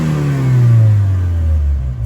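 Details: 1981 Dodge Challenger with a small four-cylinder, first run after years off the road, free rev with no load: note climbs slowly and sags back, lazy response; owner suspects old nasty fuel, improving as it runs.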